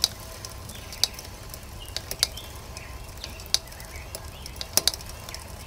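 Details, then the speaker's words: Mountain bike rear wheel after a crash: a sharp light click about once per revolution, even when not pedaling. The brake rotor was knocked out of true and rubs; the fix is truing the rotor. "okay so that's that clicking noise that you hear and again this happens even if you're not petting"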